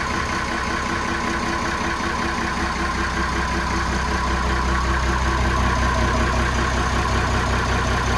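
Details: Inboard boat engine just started with the gear disengaged: steady, even low thrum with no misses, knocks or surging as it settles into a smooth, normal idle; the cooling water should exit through the exhaust.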